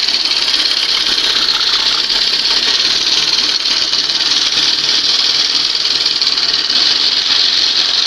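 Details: 1971 Johnson 20 HP two-stroke outboard after swapping its cleaned 25 HP carb for a late-1980s carb, warming up: steady, even high-pitched buzz with no misses or surging.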